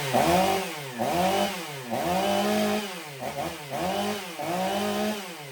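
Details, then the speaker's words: Stihl MS 500i chainsaw after repair, blipped about six times; each rev swells then sags, sounding rich and bogging at idle. Suspected cause: computer still compensating for a fuel pump that wasn't working properly, not confirmed. "It seems to be running rich at idle. You can hear it kind of bogging down. I think the computer is still compensating for the fuel pump not working properly."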